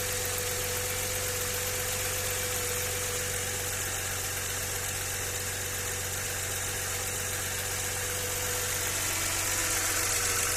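Steady idle with a fast, fairly even ticking-knock near four per second riding over the engine; a knock of unclear origin.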